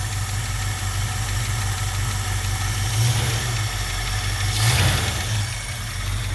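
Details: 1967 Mustang convertible V8, parked since about 1994 (29 years), after all rubber fuel lines replaced: low rumbling idle, fairly steady with small rev blips, no misses or knocking, though smoking badly; owner assumes gaskets are bad. Normal idle.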